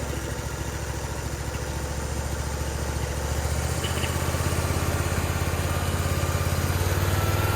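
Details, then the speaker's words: Briggs and Stratton Vanguard twin on a Vermeer SC362 stump cutter after replacing bent push rods and adjusting valve lash, freshly started: smooth, minimal vibration, even beat rising with throttle, no knocks; normal running. "Sounds a lot better than what it did before. Very smooth, in a minimal vibration. Let's throttle it up."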